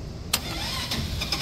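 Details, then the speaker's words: Auction go-kart that had been sitting, in neutral on a jump pack after a weak battery: starter spins the engine over at a steady, healthy pace but it never catches; cranks but won't start, cause not yet known. "oh and it cranks over okay that's a good sign"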